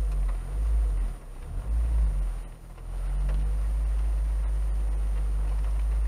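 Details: Parked petrol car at idle after engine mount inserts fitted, minor vibration felt through the seat: two throttle blips, low exhaust rumble rising briefly then settling to an even idle.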